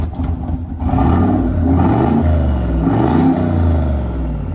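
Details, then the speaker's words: 700 hp junkyard-built turbo truck V8, 70 psi oil pressure at idle: loping, uneven beat with irregular dips at idle that smooth out with throttle; sounds like a misfire, could just need a tune, and it needs new injectors. "I don't know it just kind of sounds like it's misfiring at idle could just need a tune but then after I give it some gas it seems to run good"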